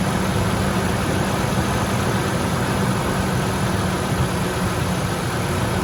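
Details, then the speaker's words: 1998 Ford F-150 4.6 L V8 at idle, before a BG EPR engine flush: a dense, fast ticking over the low rumble. The tick is bad on startup and eases when warm; cause not confirmed. "this is the ticking sound before i use the pg engine restore kind of comes with"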